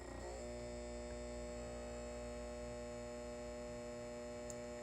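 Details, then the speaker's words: Halco/ProLume 70W high pressure sodium lamp, aged and cycling: steady low mains hum with buzzy edge from the magnetic ballast, normal ballast hum. "And to be honest, I honestly like the sound of the ballast that this fixture puts out. It's really nice."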